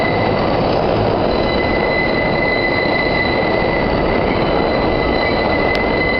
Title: The Excrutiating Noise when the 5 squeals through South Ferry.